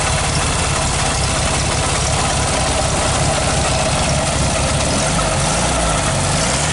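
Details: 1969 VW Beetle, 1500cc air-cooled flat-four, after a cold start on the third try with a bit of choke: even, steady low chuffing idle with no knocks or misses. Normal idle.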